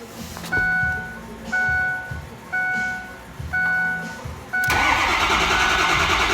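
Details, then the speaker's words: 2006 Ford F350 6.0 Power Stroke diesel, crank no start: starter churns in repeated bursts about once a second, never catches; only 51 psi built, no ICP, sync present; damaged injection pressure regulator (IPR) valve. "2006 F350 6-liter Power Stroke diesel. Customer complains of a crank, no start. Let's verify."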